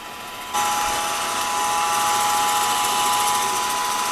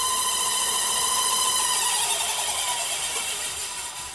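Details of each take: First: Older Rockwell drill press being restored, with a used motor and repainted pulley, running unloaded with no cover after the first-start noise went away: steady, even whir with a clean constant tone and no knocks or rattles. It sounds healthy, quiet and smooth. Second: Older Rockwell drill press, powered up for the first time after restoration and rewiring. A high, ringing whine with several overtones rises at start-up, then fades within seconds; the source is unclear, and the press then runs quiet and smooth.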